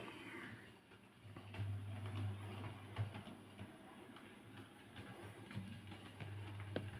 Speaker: in I'm not sure if you can hear the rattling sound but that's just couplings and all this this wagon some reason it's rattling at the moment